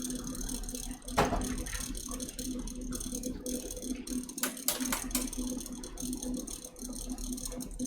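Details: Custom watercooled PC (MSI Z390, i9 9900k, 2x RTX 2080 Ti Sea Hawk, EK RGB fans): light, uneven buzzy rattle over soft fan hum at steady speed; likely a loose or worn fan, unconfirmed.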